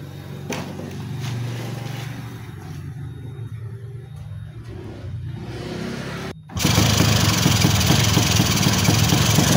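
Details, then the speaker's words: Two-stroke engine that kept flooding spark plugs, first start after the reed membrane was bent to seal and glued: a quiet section, then it catches and runs strong, even and crisp with no misfire. It now runs normally and revs freely. "eh motor udah enak kembali ya jadi tenaganya juga enak nih jadi di Udah Ee udah kedengaran ya jadi dari suaranya juga enak ya lepas gitu kan pas dia enak"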